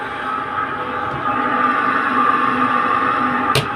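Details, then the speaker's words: Dryer spinner motor run directly with the top opened up, after oiling it to cure the spinning noise. The earlier noise is gone: a smooth, steady hum with no scraping or squeal, only one stray click. Normal after the fix. "ये देखिए इसकी आवाज़ जो है वो ख़त्म हो गई है। देखिए इसकी आवाज़ बिल्कुल ख़त्म हो गई है और ये जितना चलता जाएगा और स्मूथ होता जाएगा।"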